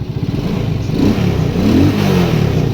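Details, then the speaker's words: Shineray motorcycle small single after engine-noise repair, cover closed and screws tightened: even, quiet putter with steady revs and no tapping or rattle from the side cover; engine now quiet, fixed. "Vou ligar a chave peguei a chave agora vamos testar bem silenciosa agora"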